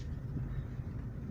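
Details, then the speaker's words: VAZ 2112 cabin while driving, after tightening rear seat fastenings to cure creaks: only low steady road rumble, no chirping or creaking from seats; quiet interior, no squeaks. "Все. Сверчка никакого не слышно."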